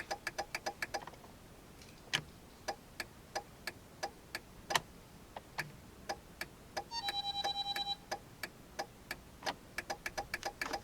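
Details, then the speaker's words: 2000 Jeep Cherokee: sharp, fast, uneven flasher relay clicking with no turn lights or dash indicator blinking, because the faulty turn signal switch hangs and doesn't click fully off; touching it stops the clicking. "but if you could hear that real fast clicking, there's no lights blinking right now. There's no indicator on the dash blinking, but the flash is going like crazy."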